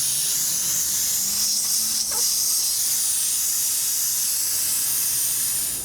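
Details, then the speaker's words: BMW R1300 GSA rear tyre after a large nail was pulled out: loud, steady high hiss of escaping air that doesn't let up while the tyre deflates through the nail hole. "Just waiting for that to deflate."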